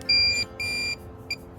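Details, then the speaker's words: Minelab Pro-Find 40 pinpointer switched on in open air away from metal: three high beeps, two then a short quick third, the normal startup sequence; it is ready to detect after the third beep. "It makes three beeps. It goes beep beep and you have to wait. There's a beep at the last little beep. It's ready to go. After you hear the third short quick little beep, then you can use it to detect with."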